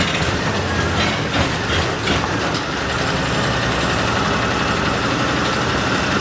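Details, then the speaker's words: Argo ATV engine, rough idle: heavy, dull knock under the exhaust beat, about three a second, earlier wrongly blamed on clutch springs; worn crankshaft main bearings, engine to be replaced. "okay everyone so it's running it's running actually pretty good has quite a bit of power uh but i i was just listening to a run because it's knock knock knock knock really heavy"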